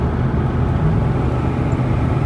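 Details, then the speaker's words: 2000 Chevy Tahoe Z71 V8 under light load on a test drive after a new distributor and cap, cam at -1 (about 2000 rpm at 68 mph): smooth, even rumble with strong power; normal running. "car has great power compared to v4"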